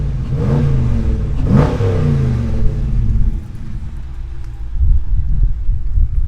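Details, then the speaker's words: 2018 Dodge Challenger R/T Shaker, 5.7 HEMI V8, 8-speed auto, petrol/LPG, standard exhaust: deep even rumble through two throttle blips, settling to smooth steady idle; nice and loud, healthy. "right so let's ever listen to the exhaust so standard exhaust but nice and Loud"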